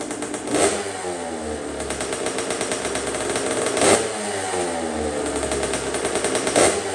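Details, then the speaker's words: 2007 Kawasaki KX65 two-stroke motocross bike, bought abused, good compression, FMF shorty exhaust: crisp crackle at idle with sharp throttle blips rising and falling cleanly; runs well, no coolant or fuel leaks seen. "thank you all right well it looks like it runs it runs pretty good I'm definitely impressed with it"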